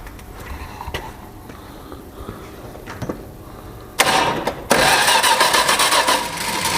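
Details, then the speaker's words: Cheap Valiant being revived, first start attempt with the carburetor leaking and the intake wet (carb rebuild kit likely needed): sudden loud cranking with ragged catches that never settle into an idle; the engine tries but won't run, then smells bad. "I'll probably have to get a carbon build kit, but I'm kind of curious. I'm going to see if it even tries to light off."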